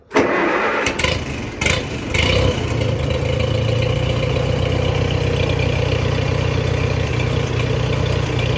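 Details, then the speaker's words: Allis-Chalmers WD tractor being revived, choke out, spark on, throttle set slightly: starts after a few rough catches, then settles into a steady, even low idle with no knocks or misses; normal start and idle. "okay that's what's supposed to sound like so far running good"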